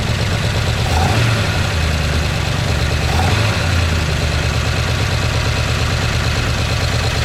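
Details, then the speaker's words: 1969 Chevy C10 engine with an oil pressure problem: the stock gauge read nothing, so a test gauge was fitted and motor flush dripped in. After a hard start on carb cleaner, a fast, dense metallic rattle rides a rough idle and grows louder on throttle blips. The gauge needle moved slightly, then fell back. Oil starvation is suspected. "it's rattling a lot. I did see some movement pressure coming up that line. Not a whole bunch, but it did move."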